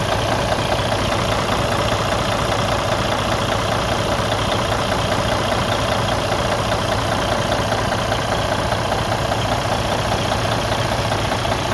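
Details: Freightliner Cascadia DD15 diesel idling: dull steady knock about once a second from an internal engine problem.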